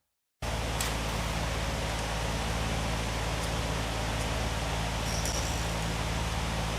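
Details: 1964 Ford Thunderbird FE 390 with Edelbrock EFI, first run in over 40 years, fuel pressure set correctly: uneven hunting idle rumble that never settles; owner suspects initial timing slightly off — rough idle.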